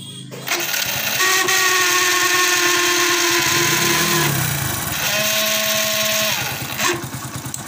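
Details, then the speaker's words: Hero HF Deluxe motorcycle self-starter cranking in two bursts with a harsh, rattling whine and grinding, from a dry, ungreased starter rotor. "Office जाने की बहुत ही ज्यादा self आवाज कचर कचर की करते हैं"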